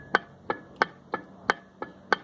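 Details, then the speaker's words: Mercedes Sprinter 415 dual-mass flywheel removed and rocked by hand: sharp metallic clacks about three per second from play at its bearing; worn flywheel caused knocking when starting the engine. "eu vou mexer aqui bem quanto na linha do celular pra vocês ver a folga que ele tem e o barulhinho que eles faz presta bem atenção"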